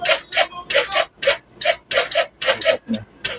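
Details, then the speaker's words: Kawasaki Rouser 135 motorcycle, stored about 10 days and now won't start, in neutral with clutch pulled: rapid dry clicking about four a second with no cranking; starter relay chattering on a flat battery, no crank. "Start natin. Sir papiga nga ako ng clutch ayaw niyang umandar. Hindi siya nagtutuloyat"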